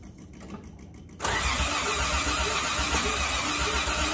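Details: Old Toyota Crown: starter churns steadily at about four beats a second but the engine never fires or picks up; cranks but will not start.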